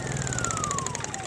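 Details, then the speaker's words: Honda EU2000i generator, about 8 years old, after orifice cleaning: low even hum with steady hiss, no knocks or surging; runs smooth and quiet as it should. "that's it that's as loud as they run man you know and so you can stick them out here in the woods and and nobody can hear them you can run him at night"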